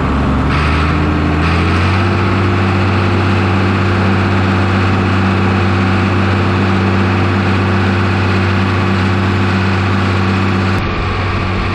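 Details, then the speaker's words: New Holland TB120 tractor diesel after injection pump retimed to 29 degrees by dealer and refitted: deep, steady drone with an even beat around four per second, no knocks or misses; engine sounds healthy. "[Music] well there you have it sounds good we go hook it up to 10-foot bouche all gear and go work it a little bit and see how it does"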